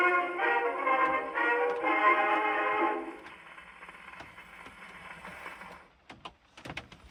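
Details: Victrola 50 phonograph (serial 90,087, circa 1922–23), rebuilt reproducer test playing a Marine Band march: clear and full for a few seconds before handling thumps, no rattle or buzz; normal playback.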